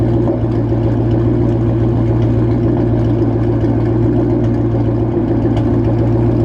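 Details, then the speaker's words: 2013 Ford Mustang GT at idle while warming up: deep lumpy idle with irregular spits and stumbles; terrible misfire, check engine light also on, spark plugs being replaced with NGK hoping to fix it, cause not confirmed. "yeah, as you heard, terrible misfire."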